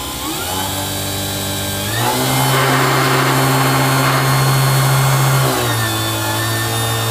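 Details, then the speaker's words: PMDC motor driven unloaded by homemade current-mode EV controller (~10kHz, single transistor test stage) with tachometer-fed RPM limit trim pot: smooth hum steps up, holds, drops as limit changes; normal running. "so when I drive current into this with no load it basically just spools up as far as it can go I want to put an RPM limit on that"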